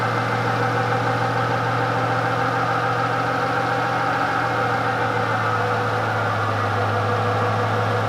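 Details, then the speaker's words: VEE080, a boosted LS drag car, runs with a steady drone over a loping, uneven beat, which is an engine misfire. The owner suspects the spark plugs and plans to try new ones. A possible link to a MAP sensor reading issue is also mentioned. The cause isn't confirmed. "um anyway next problem bit of a misfire as you probably could hear from the footage we've got a miss we're going to put that down to plugs we'll try new plugs"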